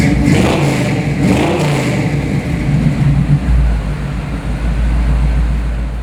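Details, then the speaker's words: 1964 Chevrolet pro-touring truck with a tuned-port fuel-injected 5-litre HO V8 (300 hp), 700R4 overdrive automatic and Dana 3.73 rear. A deep V8 burble rises under throttle blips, then settles to a steady low rumble: normal, healthy idle and revving. "Anyway, let me fire it up for you because we listened to it once before. Let's listen to it again and I'll rev it up a little bit so you can hear what it sounds like."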